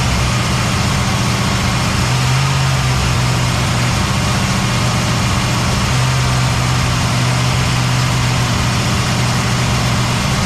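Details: Cadillac ("Lil Debby") restarted after fuel-system diagnosis with the hose clamps tightened: smooth, even low idle with a steady rumble and no misses, stumbles or surging. The engine is idling healthily.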